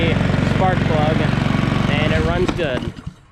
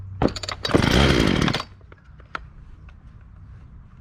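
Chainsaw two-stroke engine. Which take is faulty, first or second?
second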